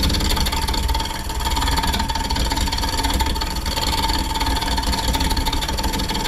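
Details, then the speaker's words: Wood bowl turning on lathe: steady even cutting hiss over constant motor hum, ticking from unlevel spot gone as surface becomes level, smooth cut. "So you can hear it smooth out."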